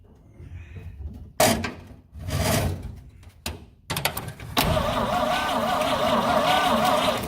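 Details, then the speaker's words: 1950 Dodge B2B truck parked since 1978, cranked in neutral with rear wheels on jack stands: starter spins in short bursts then longer steady crank, never catches; no spark at points, rotor has half a turn of play on distributor. "So we're still working on why there's no spark at the points, but I discovered something else very bad."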